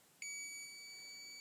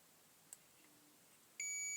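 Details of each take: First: Multimeter on continuity setting with probes touched together before testing an old Osram 5ft T12 80W fluorescent tube: clean high steady beep just over a second; normal continuity beep. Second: Continuity tester on the two end pins of a T12 fluorescent tube: a faint click, then one steady high beep of about a second, showing continuity through the filament at that end.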